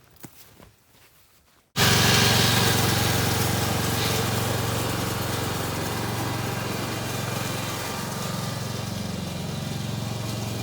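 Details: Kohler Courage 19 hp engine on an Ariens garden tractor after muffler repair (loose internal baffle fixed): engine picks up and settles into a smooth, even beat with steady exhaust note, no rattle; running healthy.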